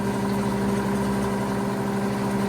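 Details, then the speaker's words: 90-year-old rebuilt Gilbarco GMB 80 gas pump, just switched on and pumping diesel fuel. Even, unbroken hum with a steady low tone and no knocks or rattles; the pump motor runs smoothly and the pump is fully operational. "Yes, she's running and she's pumping. She's fully operational."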